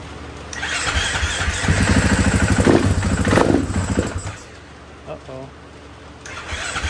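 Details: 2016 KTM 500 EXC after installing a Quantum Fuel Systems HFP-A488 fuel pump, pressure tested at about 55 psi: the single fires promptly, revs with crisp steady beats for a few seconds, then drops back cleanly; starts and runs healthy.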